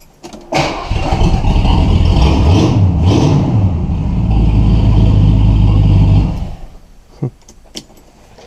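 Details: 1977 Ford Thunderbird V8 before repair, exhaust leak between the cat and rest of the pipe at a severely rusted flange: starts and runs with a loud, rough, raspy chuff ticking at every firing pulse.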